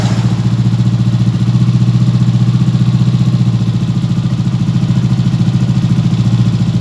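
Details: Yamaha Aerox 155 after replacing the worn, 3-year-old stock spark plug to cure backfiring with no error code; even low putter around four beats a second, no pops or bangs, idling cleanly.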